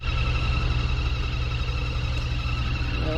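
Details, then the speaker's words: Rheem/Ruud 3.5-ton outside cabinet AC unit with a newly installed replacement blower motor, just switched on: steady motor hum with several thin high squeaking tones; cause unknown, owner hopes the new motor isn't faulty. "that motor's squeaking I don't know why with a brand new motor I just hope there ain't nothing wrong with it"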